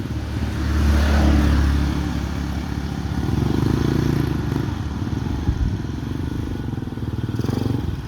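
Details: Honda TMX 125 single-cylinder motorcycle after valve service (valve had been leaking and would not start), ridden home: pulls cleanly and evenly under road and wind noise, picking up smoothly with throttle; running normally.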